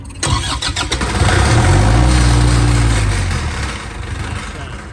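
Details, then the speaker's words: 2016 PDG three-phase AC synchronous diesel generator, about 11–12 hours on the meter, not connected to a fuel supply: starter turns the engine at an even rhythm but it never fires; cranks without starting due to no fuel. "Anyways, it's not hooked to fuel. It was hooked to the truck for the fuel. It will turn over though."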